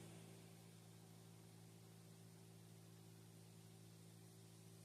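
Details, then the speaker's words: RV roof vent after swapping the stock fan for a quiet PC fan: very quiet steady low hum with soft airy hiss, no rattle; about 55–56 dB versus 76–80 dB for the old fan, with some wind noise outside. "55 or so, 56. Much quieter."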